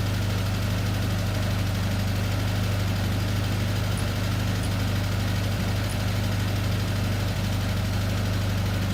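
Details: 1974 VW Beetle (Sunbug) air-cooled engine, first run after 30+ years in storage: even, steady low idle with a regular pulse around three beats per second and no misses; healthy idle.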